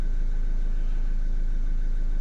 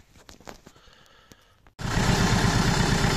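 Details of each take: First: Renault Kangoo 1.5 dCi diesel, towed in not starting with a crankshaft-sensor code, after repair: even diesel clatter at steady idle with a faint constant whistle, no irregular knocking; runs smooth after repair. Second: Renault Kangoo 1.5 dCi diesel, rebuilt engine idling rough; cylinder-one injector (used, salvage-bought) connector unplugged: uneven, lumpy beat with one cylinder dropping out, unchanged when unplugged, so that injector is dead and gets a bench-tested replacement.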